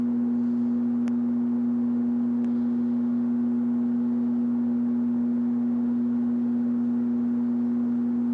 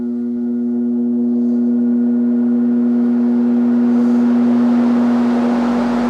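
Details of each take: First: 1969 Sears (Vernco) box fan, 3.7 A 1/12 HP motor, not oiled: pure steady low hum on low speed like a ringing bowl, fading out at switch-off; odd electrical resonant hum on low. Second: 1969 Sears (Vernco) box fan, 3.7 A 1/12 HP motor, on high in exhaust direction: a smooth, steady hum that swells slightly and holds, with no rubbing or rattle. Normal running.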